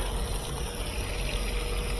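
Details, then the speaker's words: KitchenAid (Whirlpool-built) direct-drive washer after motor coupling replacement, loaded with clothes on normal 16-minute wash: steady rush of water with low even hum, no sputter or buzz; all inlet valves working, filling normally. "One more. All of our valves are working."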